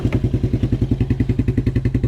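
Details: 1987 Suzuki Quadrunner LT230E ATV single-cylinder, idling outdoors after throttle and air filter replacement; steady thump about eight pulses a second, even, no knocking or missing; healthy idle.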